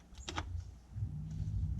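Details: New temporary French drain sump pump resting on the bottom of the pit, just plugged in: low steady hum that comes up after a second and holds evenly with no rattle or grinding; pump running normally.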